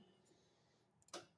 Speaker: Right now, if we turn the lathe on, right, uh, you can hear that clicking in and out. And when you open the lid, pushes it in. So, the lathe can't run, whereas it can run in that position.